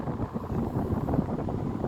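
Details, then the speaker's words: Panasonic remote-control electric fan after capacitor replacement and blade refit, on speed 1: steady, even rush of air over a low hum with no rattle, scrape or wobble; spins fast, cools well, control box still works. "ได้การครับผมเย็นๆๆๆตอนที่แรกบ่ค่อยเย็นเนาะครับผมหมุนไวอีกต่างหากครับผม"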